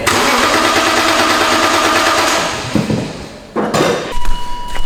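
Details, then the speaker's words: Barn-find BMW E46 M3 after a new fuel pump was fitted and fresh fuel added: the starter spins the engine briskly for a couple of seconds but it never catches; cranking dry with no fuel delivery, and a relay may have gone back in the wrong spot. "okay so if we cycle the ignition we're actually getting no fuel so we've been cranking this dry beam"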